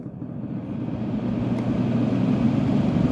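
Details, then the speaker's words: Kenmore (Whirlpool) 10k BTU window air conditioner, medium chassis, possibly Tecumseh AK compressor: steady fan drone with loose, uneven low rumble and rattle as the fan spins up on medium and high; fan motor thrust washers badly worn. "So you can hear this thing needs thrust washers like really bad, medium, and high."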